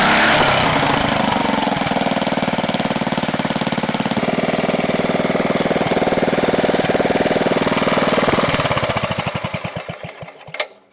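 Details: 1970 Wisconsin BKN flathead single-cylinder engine, about 7 HP, after sanding the points: a steady, even chuff at a fast governed speed, then a clean wind-down to a stop; it runs healthy.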